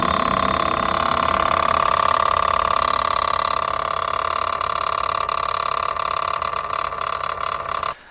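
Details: Mahindra XUV700 engine bay: steady metallic ringing rattle about three beats a second that started suddenly while driving; failing water pump.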